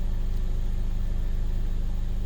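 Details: 2015 Mercedes-Benz CLA250 after crank-no-start with low fuel pressure codes P008700/P1CCF00: idling 600–800 rpm, wires reading 2.23 V; low even rumble, no misses, stumbles or ticks; normal idle.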